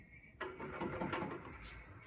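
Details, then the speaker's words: 1984 VW Rabbit EV conversion, Prius motor's first spin on a bench power supply with Prius throttle: harsh, gritty grinding rattle that never smooths, present even without the shaft cup; cause not yet found. "it sounds horrible and I can't tell what the problem is. I have to figure that out. I don't think that is hitting anything because it makes that noise without the cup."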